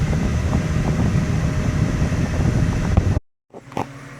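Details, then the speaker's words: 2008 Mazda 6 4-cylinder, driving after replacing the failed hydraulic passenger-side engine mount: even engine drone pulling away with wind rush, no thumping or vibration; noise gone. "okay so here we are in the car after we've replaced this mount and you'll notice no noise"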